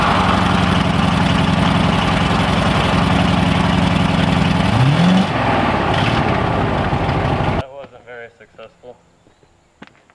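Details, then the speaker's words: 1965 Chevrolet C10 old engine during an attempted burnout, uneven lumpy beat stumbling as revs rise and fall, then cutting out; owner suspects it is down on a few cylinders from spark-related issues. "It started to burn this one, but it acted like it kind of wanted to start going posy and kick both of them, which I think this old engine is kind of down on a few cylinders due to some spark related issues, so it didn't want to do it."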